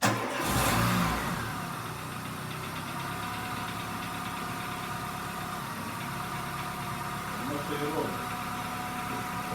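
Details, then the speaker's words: Dacia Solenza after head gasket replacement, oil and fuel systems bled: first fully cold start catches quickly on the first try, then a quiet steady even idle with no knocking or stumbling; normal. "працює двигун рівненько от холодний повністю перший запуск"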